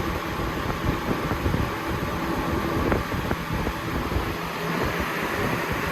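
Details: Lasko Premium box fan (3723 vs 3720 Weather-Shield comparison) on high speed: steady rush of air with a thin constant whistle on top, the whistling whine this fan makes.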